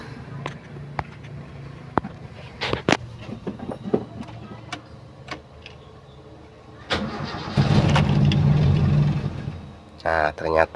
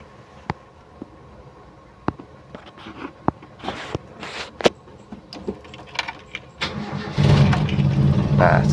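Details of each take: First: Toyota Kijang 7K with the suspect emission control module fitted: after cranking the engine catches and roars briefly, then stumbles and dies, unable to hold idle; with the original module it idles normally. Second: Toyota Kijang 7K, emission control module test: a few clicks, then engine fires and holds steady even idle on the known-good module, unlike the faulty module that could not hold idle.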